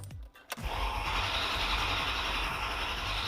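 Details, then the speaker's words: Ferrari first start attempt in two years, sludgy milky oil, oil pressure slowly rising while cranking: after a click the starter spins with a steady even beat, no lurches; compression sounds good and balanced. "We have a little bit of oil pressure. It also seems to have good compression. >> Yeah, it sounds steady."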